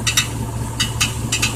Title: 1999 Chevy Silverado rattling noise